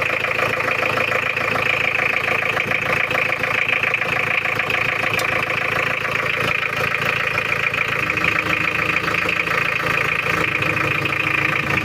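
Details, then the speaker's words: Mitsubishi Challenger 4M40 diesel, recently overhauled, weak power and rough sound, oil spitting, at idle: harsh uneven clatter with a rough beat about three times a second; rough idle from incorrect injection pump timing. "Ini kita dengarkan untuk bunyi mesinnya ya lor. Suaranya sangat kasar sekali ya lor. Ini adalah suara dari mesinnya."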